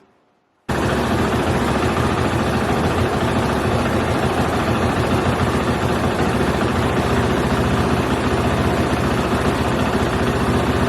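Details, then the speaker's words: KTM four-stroke single held at a fast idle around the manual's 2200-2300 rpm, firing rapidly but unevenly and fluctuating up and down, hard to hold; the idle is set with the red knob on the throttle body. "um it's unstable that's why it's hard to hold it fluctuates up and down"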